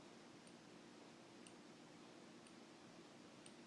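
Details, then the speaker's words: OmniPod insulin pump applied to pinched-up skin: faint crisp ticks about once a second over quiet room hiss, normal inserter clicking before the cannula inserts (needle goes in, leaves tube, retracts); basal then starts. "And that loud noise was actually the cannula, which you can see on this old pod. This little cannula right here, actually inserting into my skin."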